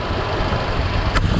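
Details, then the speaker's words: 1978 Ford F100 V8 at idle with a newly fitted power steering pump (old one leaked), bleeding the system while pushing out bubbles: steady low rumble, no pump whine; quiet and healthy. "power steering's already making way less noise than it was that other one was in no good shape"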